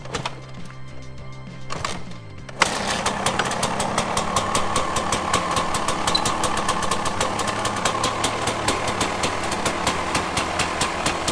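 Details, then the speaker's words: 2006 KTM 300 XC-W two-stroke, freshly rebuilt top end, cold on choke after a kick start: steady, evenly spaced popping idle with no rattles; normal cold idle, idles better once warm. "now that's idling so it uh it has a choke on right now but it's still idling"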